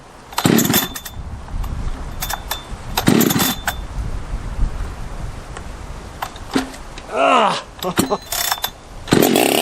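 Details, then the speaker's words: Husqvarna 365 Special chainsaw, freshly built 52mm top end, about third heat cycle: fires in short ragged bursts, revving up and dropping off unevenly; carburetor still not tuning properly, cause unknown. "I'm still having a little bit of issue tuning the carb. I don't know exactly what's going on there, but we'll fire it up here and see what we think."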